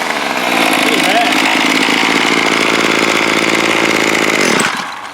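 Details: Bolens BL110 25cc two-stroke trimmer after new carburetor, fuel lines, fuel filter, spark plug and air filter, carb unadjusted: steady high revs with clean even firing, then drops away smoothly; running healthy.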